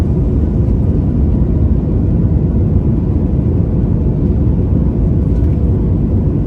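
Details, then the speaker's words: Airbus A220 takeoff on a Marseille–Paris flight, heard from the cabin: heavy, sustained low roar, steady and even at full thrust before rotation; normal takeoff power. "Là, c'est mon moment préféré. Pleine poussée. Chaque moteur développe l'équivalent de dizaines de milliers de chevaux."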